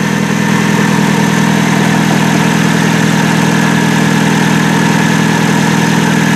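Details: 1999 Nissan Altima 2.4L 4-cylinder with a customer-replaced distributor that was never timed, warming up. Steady, slightly quick idle with an even firing beat and no misses. Ignition timing is fully advanced before being set with a timing light.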